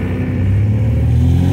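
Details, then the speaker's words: 1972 MGB with SU HIF44 carbs, after adjusting the air-fuel mixture screws, previously rough and powerless from off idle to 2000-2500 rpm: steady, even drone under light acceleration with no stumble, now running smooth. "listen how smooth this car is i can't believe it look at this"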